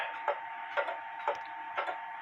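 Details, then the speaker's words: Clock in beat, running with a somewhat even tick-tock; crisp, evenly spaced ticks about two per second in a quiet background. "in this case because the clock is running somewhat e uh evenly Tick Tock I go ahead and put it on on the wall"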